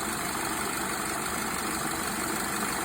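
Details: Hyundai Tucson at idle after AC compressor replacement: steady hiss and fan rush over a quiet idle, no knocking or grinding. Discharge line hot, liquid line warm, suction line cool; variable displacement compressor holds a sensible temperature. Normal.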